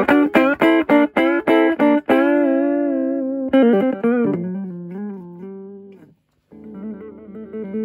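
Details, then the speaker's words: Torque Acoustics T100L guitar amp (circa 1989–early 90s) after repair of no-sound fault: clean chords and notes with sustain and spring reverb tail, no crackle or cutting out; working properly. "All right. Very tight sound. It's working beautifully."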